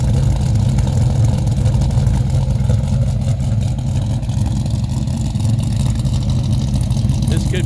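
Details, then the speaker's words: 2005 Dodge Ram SRT-10 Viper truck, 61k miles, new top end with performance cam, springs, ceramic-coated headers, K&N cold air intake, 6-speed manual: deep, lumpy, choppy idle, steady with no misses; normal idle. "Could be literally a daily driver. It runs that nice. It's pretty quiet inside."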